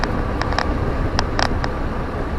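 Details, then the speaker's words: VW Beetle IRS rear on test drive after replacing badly worn rear wheel bearings: steady low road rumble with a few light ticks, no growl or drone; quieter than ever before. "never rolled this quiet before ever I even took out those old bearings and packed them go figure"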